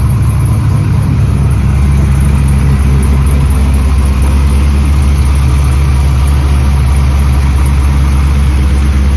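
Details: LS 6.0 V8 truck, unused for about a week, after swapping an old part: deep, steady idle with an even rumble and no misses or knocks; engine sounds healthy and settled.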